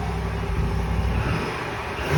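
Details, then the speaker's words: 2020 Ram 5.7 eTorque at idle after replacing the tensioner/idler pulley (part 68518735AA): steady, even low hum with no whine or chirp; the whine on acceleration is gone. "Sounds a lot better to me. Looks like that's all it was, folks."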